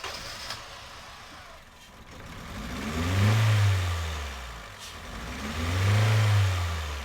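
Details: 2010 Honda Civic 1.4 i-VTEC with flashing check engine light, cylinders 3 and 4 misfiring: two slow revs with an uneven, lumpy low note underneath; ignition tested fine.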